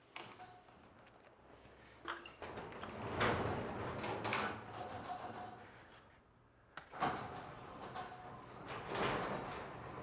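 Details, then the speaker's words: Garage door after lubricating old rollers, correcting a wrongly installed opener motor and fixing eye sensors: soft rolling rumble with scattered light clicks and rattles; runs smoothly, in good condition, mild noise left since rollers and track weren't upgraded. "When you do that, it will take away a majority of the rest of that noise, but still the door operates and it's in good condition."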